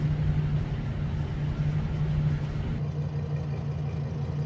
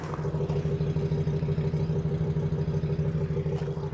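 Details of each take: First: 2006 Ford E450 with a 6.8L Triton V10, severely overheated, blown head gaskets, nearly seized; idling just after two bottles of Blue Devil head gasket sealer were added. Low, steady idle hum that pulses slightly and unevenly, with engine shake. Misfire from coolant entering a cylinder. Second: 2006 Ford E450 6.8L V10 on Blue Devil head gasket sealer, cylinder 7 misfiring until a noise, then an even, steady idle; owner suspects the sealer finally plugged cylinder 7, and that a fouled plug had kept the heat-activated sealer from working.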